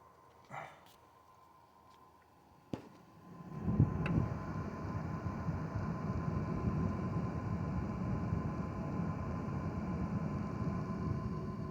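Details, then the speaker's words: Zotac RTX 4090 Amp Edition graphics card, microphone right next to the fans, card about 44°C, fan speed stepped between 30 and 60 percent: soft even air rush with no rattle, ticking or grinding; audible mainly above about 50 percent. "and again um I mean when the fans ramp up I mean you can hear something but not from like far away you know what I mean unless it's like over 50 percent"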